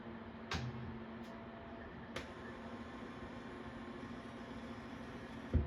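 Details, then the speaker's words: Tapper arcade game after monitor repair: soft thump at power-on, then faint steady high whine over low hum from the speaker; cause unclear, amp board, PCB or interference suspected. "little bit of a whining sound a little bit of a thump this is on a got the game on a weird angle but that's [Music] okay nope still got it now I'm not sure if it is the amp board or if it's like interference from something else yet"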